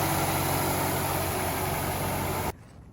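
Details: 2017 Nissan Rogue idling after oil change with 0W-20 Mobil 1, before oil level check: even steady hum with smooth low throb, no knocks or ticks, then cut off; engine healthy.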